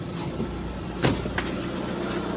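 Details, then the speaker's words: Lada Priora engine after piston set replacement to cure heavy knocking, coolant around 55°C: steady even idle, low rumble, no knock or piston slap; quiet and healthy compared with before. "Вот так работает мотор. Ну, по сравнению с тем, как он долбил, он просто дышит и шепчет."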